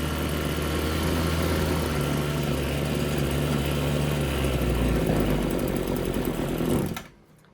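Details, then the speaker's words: RedMax TRZ230S two-stroke string trimmer, hard starting, rough running and leaking fuel, after refuelling and idle adjustment: buzzy idle hunts and wavers then cuts out; idle set but carburetor jets suspected off, low-speed needle next. "Okay, so I think the idle is correct, but the jets are not."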